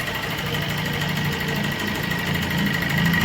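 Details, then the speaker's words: 2018-19 Suzuki Swift Dzire: lumpy, shaking idle with an irregular loping beat; only cylinders 2 and 3 fire, 1 and 4 dead; customer-cleaned injectors didn't help, ECU suspected. "വണ്ടി ഭയങ്കര missing ആണ് ഇത് കണ്ടോ കിടന്ന് കുടച്ചിലാണ് കിടന്നത് ഇത് ഇത്രയും ഷേക്കിങ് ആയതോടുകൂടി രണ്ടേ രണ്ട് സിലിണ്ടറെ വർക്ക് ഉള്ളൂ രണ്ടും മൂന്നും ഈ രണ്ട് സിലിണ്ടറെ വർക്ക് ഉള്ളൂ ഒന്നും നാലും വർക്ക് അല്ല"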